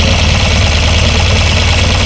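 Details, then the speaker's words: Tata Nano after a loose AC compressor relay connection was fixed. The small-engine idle stays steady and even with the compressor engaged and no stumble under the load; cold air is blowing. Normal idle with AC compressor running. "Compressor पर। यहाँ से ठंड से तेज हवा चल रही है।"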